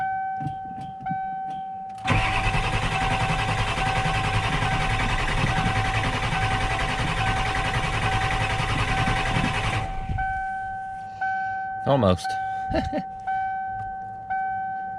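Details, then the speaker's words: 1994 Ford F250 7.3 IDI diesel with newly installed turbo, CAT injection pump, straight pipe, cold start without glow plugs (controller not hooked up), about 80°F and humid, fired on third crank; cranks then rough steady clatter; normal unassisted cold start. "controller hooked up right now so this is just cold start no glow plugs"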